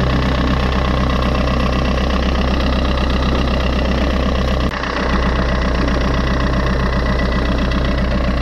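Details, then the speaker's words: Fiat 500 idling, heard near the alternator, which is quite rusty: a dry, faint scraping whirr over the engine; owner suspects the alternator bearing rather than the timing chain; alternator bearing noise. "tu vois donc autour de l'alternateur je trouve que c'est quand même bien rouillée et tu vois donc ça se pourrait que ce soit le roulement"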